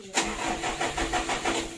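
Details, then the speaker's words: Mitsubishi Canter diesel truck that is hard to start needs a touch of throttle to catch: sharp click, then slow, uneven cranking pulses. Hard starting, addressed by adjusting fuel load, governor and idle. "di Indonesia enggak begitu Lor startnya panjang begitu ya itu harus diuji disenggol sedikit gasnya itu baru hidup kita tes lagi"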